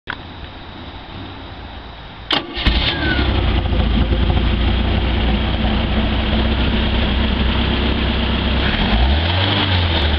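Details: Stingray boat with a 140 hp Mercruiser 3.0L, after a carburetor rebuild (previously it tried to start and died; the fuel pump was not at fault): a brief crank, then it catches cleanly and holds an even, steady idle.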